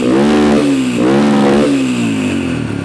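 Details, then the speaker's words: Yamaha 123cc single-cylinder dirt bike idling with a few blips after fitting a Temu cylinder kit: even clean firing, idle a little high, faint top-end noise but quieter and less clangy than before. "it's a little noise here in the top end but it's actually quieter and sounds better than it did with those other parts in it it's not as clangy or bangy"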